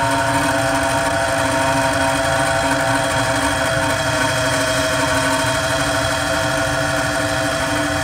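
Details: Carrier Weathermaker 800 TS furnace: continuous rough grinding over a steady hum with no pitch change; the blower motor is failing and needs replacement.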